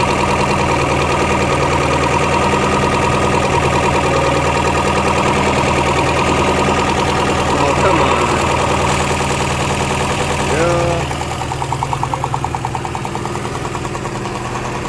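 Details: 3.0 engine brought in for customer-reported knock: steady idle with a regular tapping knock about three beats a second, felt through the valve cover; cause unknown, valve cover to be removed.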